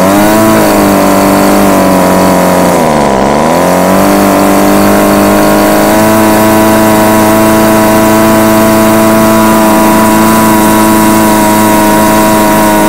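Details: Homelite UT20042A string trimmer with new C1U-H60 carburettor, warm, wouldn't idle: high two-stroke buzz hunts, dipping sharply and climbing back, then settles steady higher as mixture screws are turned.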